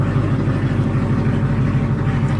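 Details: Camaro ZL1 V8 after a damaged spark plug was replaced: a deep, even burble with a steady low pulse and no misses or knocks; the engine idles smoothly and runs normally again.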